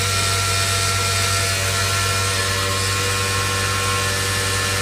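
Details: 2005 Honda Odyssey on jack stands, in gear and power-braked: steady harsh buzz over engine drone, only when in gear; catalytic converter vibrating, fixed by clamping O-clamps around each end of the cat, noise disappeared.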